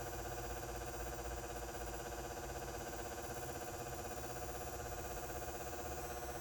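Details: Brinks 175 W high-pressure sodium H39 bulb in a house-mounted fixture over 20 years old: a steady electrical buzz, louder than usual, with a new rapid even ticking about four times a second, engine-like; rapid ticking and buzzing from the light.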